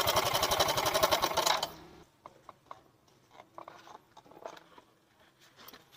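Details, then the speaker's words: Yamaha Mio M3 125 scooter running rough, magneto cover off: quick even metallic ticking ("ceklek") for a second or two; slack cam chain from a weak, failed tensioner is the cause of the rough sound. "Nah ada suara ceklek ceklek gitu bro Nah dengan tuh nah ini yang bikin kasar"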